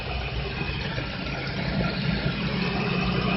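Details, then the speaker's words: Engine idling quietly after over-tight belts were loosened: tension on the alternator and power steering pulleys had caused a loud noise, now gone. The result is a low, even hum with no squeal or chirp. "Ang sikip na kanina, ngayon diluwagan, wala nang ingay. Wala na siyang ingay, mga blare."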